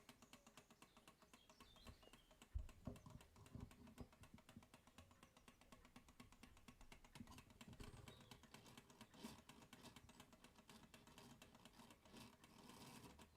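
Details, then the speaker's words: Clock movement during gear-depthing adjustment: quick, even ticking with a slightly rough, dragging edge to each beat. The mesh is improved after adjustment but still too deep. "that's a bit better already but you can still hear that it's still too deep"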